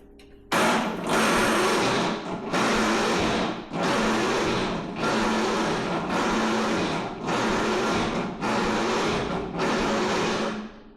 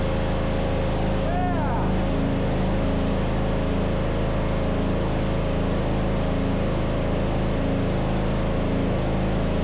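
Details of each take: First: MTD Yard Machines riding mower, 13.5 hp Tecumseh engine, not running for about 2 months, cold snowy day: starter whirs in about eight one-second bursts, engine turns over sluggishly, never catches; slow cranking, no start, owner suspects starter or valves. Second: MTD Yard Machines riding mower, 13.5 hp Tecumseh single-cylinder engine, neglected and stopped working; after starter fault fixed it catches and runs evenly and steadily with no misses or knocks; normal running.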